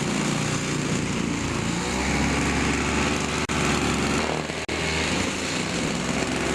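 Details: Toro 2-cycle snowthrower after carburetor diaphragm replacement, test run; high buzzy two-stroke note at constant speed with no stumbling or surging, normal running.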